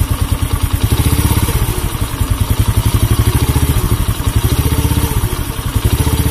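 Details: Honda C100 single-cylinder motorcycle with sluggish pickup, revved up and down: coarse, rattly firing as revs climb; rough under throttle, worn piston suspected, not confirmed.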